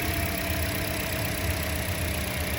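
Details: 2008–2012 Toyota Corolla four-cylinder idling with codes P0302/P219A: low, lumpy idle with uneven exhaust beat; cylinder 2 misfire followed the swapped coil, confirming a failed ignition coil.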